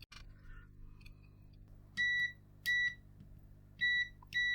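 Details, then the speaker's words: Bush DAB radio that powers up but won't respond, power button tested with a multimeter continuity beep: four high beeps at uneven gaps, contact made only on some presses, no continuous tone when held; intermittent tactile switch contact. "oh it works oh not every time but it is working ah but when you hold it down it ah yeah when you hold it down it doesn't give a continuous beep"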